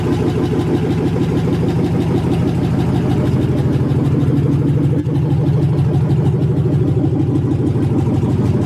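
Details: 1980 Chevy C20 with a swapped 4.8L LS V8, first fire-up after the swap: deep, loud, rapid burble straight off the manifolds. Steady and even with no misses or knocks; a healthy idle.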